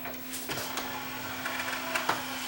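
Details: Yamaha CDC 705 5-disc CD changer after replacing the drawer belt; short motor whir with steady mid-pitched drone and a few plastic clicks as the drawer moves; disc tray mechanism runs cleanly.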